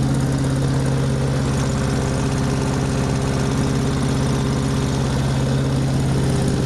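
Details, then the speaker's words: Small commercial-grade engine after a full rebuild, started with choke and throttle: strong steady drone with even firing pulses, no stumble or surging; normal running. "Well, that thing runs really good. Definitely friggin' a commercial grade son of a bitch."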